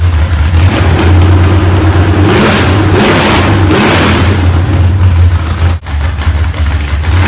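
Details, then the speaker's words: Freshly built low-buck 454 big-block from a stock short-block with a thumper flat-tappet cam, broken in earlier that day. Deep, uneven, raunchy loping rumble with throttle blips and strong low end. Normal revving with a lumpy cam. "um that's the second motor I've built with one of those thumper cams in them they seem to work good they have the raunchy sounding Rumble that people like"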